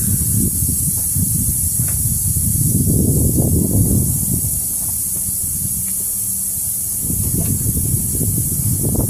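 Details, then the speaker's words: Isuzu NPR/NRR cab-over truck, 5.2 diesel, with boost-loss check engine light and derate: intake system pressurised to about 16–18 psi with a charge air cooler test kit; thin steady hiss from a small leak at a charge pipe clamp; charge air cooler fine. "It's leaking a little bit on that clamp right there, but all of this and the charge air cooler seems fine."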